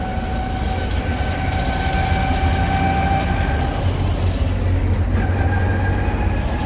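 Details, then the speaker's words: 1964 Willys Jeep CJ5 with a swapped Chevy 4.3L V6, driving in third gear: loud steady whir over the engine drone from the old transmission; gearbox whine, owner plans to rebuild the transmission. "Oh, that thing makes a racket, man. Especially in third gear and when I try to actually get it up to some speed, you know, like 50 miles an hour or something. The old transmission just whirs and makes a racket."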